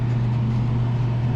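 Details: Daikin McQuay 2-pipe fan coil unit on cooling after no-cooling call, valve actuator confirmed open, electric heater drawing no amps: even low fan hum with steady airflow hiss, no rattles or scraping; running normally.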